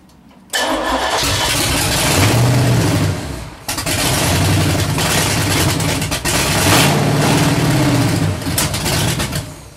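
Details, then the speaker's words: Freshly built 383 stroker V8, first start, running through open headers: cranks, catches and roars with a couple of throttle blips, settling into a very loud lumpy idle; engine runs. "So, only thing to do now is see if the damn thing will crank. Oh, that's a good sign. Loud. Extremely loud."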